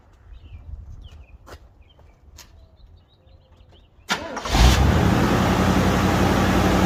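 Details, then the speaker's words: 1978 Chevy Nova Concours idling after a brand new alternator was fitted: quick start settling into a steady, even, smooth idle, sounding much happier; normal idle. "sounds much happier The Concourse"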